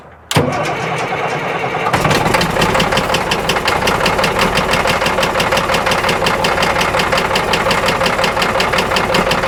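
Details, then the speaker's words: Caterpillar 977L track loader diesel facing scrap, started on heavy ether: fires abruptly, then loud uneven clatter with irregular beats; rough running, though oil pressure is good. "you want backfire man it just sounds like it's going to come apart"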